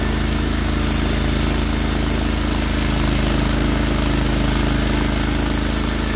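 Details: Norwood HD36v2 bandsaw mill, day two testing new roller guides (ceramics replaced), slabbing big black oak through bark, about 24 inches wide: steady even engine drone holding firm with constant saw hiss; effortless flat cut, motor loaded normally.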